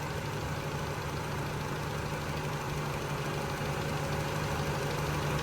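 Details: Honda CRX after replacing the PCV valve that caused a vacuum leak and idle surging. Idle set to about 750 rpm with ignition timing set; it now idles evenly with a smooth hum and no surging or hunting.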